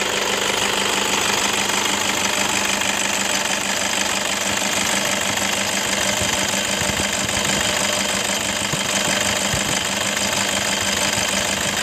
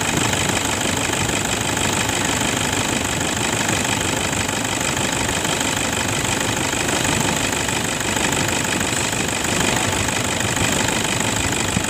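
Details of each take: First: 2011 Toyota Fortuner 2KD 2500 cc diesel idling with a harsh, gravelly rattle from a worn belt tensioner assembly and light jingling from worn idler bearings, upper and lower. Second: 2011 Toyota Fortuner 2KD 2.5 diesel after replacing worn belt tensioner and idler bearing that caused rough engine noise: even idle with steady regular clatter, no squeal or rattle from the belt drive, much smoother.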